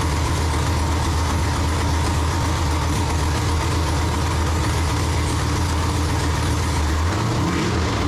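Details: Freshly built forged 6.0L V8 with LSA supercharger for a 1969 Chevelle, first start: loud steady rumbling idle with an even low beat and a faint drop near the end; the new engine runs smoothly, normal idle.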